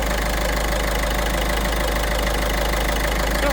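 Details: Peugeot 5008 1.5 HDi diesel after replacing the stretched timing chain and tensioner: steady idle with even clatter and no chain rattle or knock; earlier knock cured.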